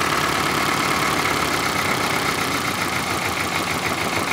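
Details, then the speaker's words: 2000 Toyota Celica GT 1.8L, codes P0302/P0300: uneven, stumbling idle with irregular chuffs under a hissy background; misfire from dead coil on cylinder 2 and weak spark on cylinder 3, fixed by replacing both coils. "as you can see there's a very minimal spark but it's very weak that spark is not enough to be able to give full energy to the spark plug inside the cylinder"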